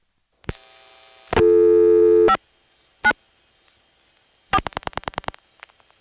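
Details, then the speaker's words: 1970s senderized step-by-step exchange call from Occoquan via Manassas to Nokesville: dialling clicks then fast on-off bursts about twice a second; reorder tone. "here's a call to the reorder tone in Knoxville"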